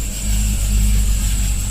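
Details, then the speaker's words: Cadillac CTS-V with a flashing check engine light and a cylinder 7 misfire code after a popping sound: heavy, lumpy V8 rumble with an uneven beat. The spark plug wire is grounding out on the headers. "there's a spark plug wire looks like yep it's grounding out on it's grounding out on the headers big that's our problem"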